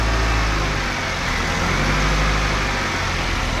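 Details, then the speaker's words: 2008 Nissan X-Trail T31 2.5L on restart after replacement engine install: smooth, even idle with steady rumble and no knocks, ticks or misses; earlier starting trouble attributed to dirty fuel. "all right so far so good it doesn't seem like it's got any any noises so that's good it's running smooth"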